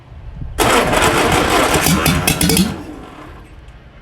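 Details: 1950 MG engine, freshly rebuilt, first start attempt, cold, exhaust manifold only with no exhaust: fast cranking bursts into a few rough firing pulses for about two seconds, then fades; catches briefly but won't keep running.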